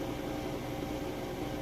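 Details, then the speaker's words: Crosley washer in final spin after a heavy, warm-water, max full load, second spin round at peak speed: steady, even hum with a constant mid tone, no knocking, scraping or thumping; normal, quiet spin. "Now this is round two. That is its peak spinning speed there."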